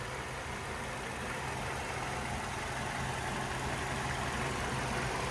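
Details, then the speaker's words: 2008 Hyundai Sonata 2.4-litre four-cylinder with automatic transmission, heard in the engine bay at idle: steady, very quiet, smooth hum with no knocks, ticks, misses or vibrations. A healthy engine. "And very, very quiet. No odd noises or vibrations. It's a very smooth running engine."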